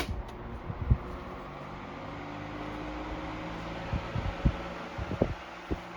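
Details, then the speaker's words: 1973 Frigid (Mitsubishi) 16-inch GT16-S oscillating fan, spin-down from high speed: soft steady whir and low hum easing off, a few light clicks, no rubbing; healthy, only fatigue cracks in neck noted. "But other than that, I think the fan's in pretty good shape. We'll see what the spin down has to say."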